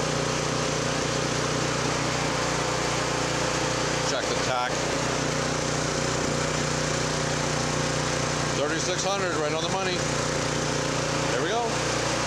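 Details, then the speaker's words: Honda F501 tiller with new replacement GX-clone engine, unloaded, after slightly opening the carburetor pilot jet: even, steady note at governed speed, no surging or hunting; lean surge cured. "fuel is on that's a lot smoother don't do the Huns anymore"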